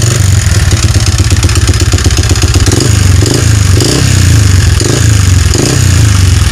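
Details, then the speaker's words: Yamaha Vixion motorcycle engine before repair, smoking, oil-starved from a leaking clutch cover gasket: loud idle with hollow metallic clatter on each firing beat, rough and uneven; piston-to-cylinder clearance (piston slap), fixed by replacing block and piston. "Jadi di sini kalau menurut pengalaman saya, kalau hal yang demikian kendala pada mesin ini suara kasar, ini adalah suara seher dan blok."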